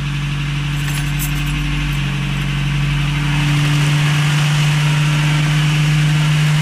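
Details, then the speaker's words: 1989 Toyota Hilux 22RE, first start after owner's first complete rebuild at 299,885 miles (cam had worn from maintenance error); no cooling system fitted, clutch held in, timing roughly set; steady, even smooth idle, no knocks or misses; normal idle. "All right, that was pretty awesome. That's my first time doing a rebuild on an engine. Had it all out by myself. Sounds good."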